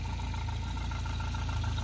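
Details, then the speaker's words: Volvo 940 Turbo bought sight unseen, restarted: steady low idle with an uneven lumpy pulse and faint high tone, not idling correctly; 50 lb oil pressure, dash gauge doesn't work, oily smell; rough idle. "hold on a second it's um not idling for whatever reason go ahead and start it again okay I was saying it's not idling"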